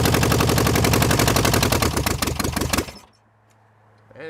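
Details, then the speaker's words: 1966 VW Beetle air-cooled flat-four on first start; rapid sharp loud exhaust cracks about four a second before it dies, raw barking note because only half the muffler/exhaust is fitted. "it's kind of loud with only half an exhaust"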